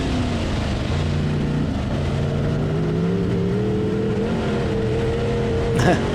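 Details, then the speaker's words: A-mod dirt race car, first laps on freshly built engine at test and tune: at full throttle the note climbs slowly and labours, taking seconds to clear; bog on acceleration, owner suspects fuel pressure or carb issues. "my foot was to the floor the thing it slowed up so bad it will not it won't accelerate so you can see it's taking seconds before it clears out and actually starts to run"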